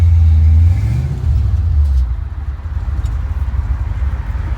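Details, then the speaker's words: 1966 Mustang on a test drive after a Spectra fuel injection tank with in-tank pump was fitted (it used to cut out under heavy throttle): deep steady exhaust rumble pulling smoothly under throttle, pump whisper-quiet, no cutting out; normal acceleration. "all right that's it works huh I don't hear the fuel pulp or anything I just insulted its whisper-quiet"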